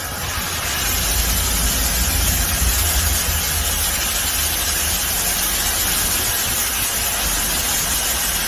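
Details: Mercedes W221 that died on the highway, after CKP sensor, engine oil, fuel pump relay and fuel pump replaced: low even hum with steady hiss over it, no misses or knocks; smooth healthy idle.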